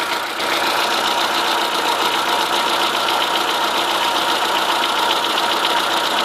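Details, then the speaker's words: Chevrolet Corsa 1.0 8V VHC knocking at idle, fast uneven metallic knock louder on one side of the block; stops when alternator belt tension is released, alternator swapped and tensioner new; no oil loss, overheating or smoke; owner suspects main bearing, engine not opened, original mileage. "pode ver que o barulho é só desse lado ó no mecânico falou que é mais fácil esse barulho acontecer do outro lado já nesse lado aqui suspeita que pode ser mancal"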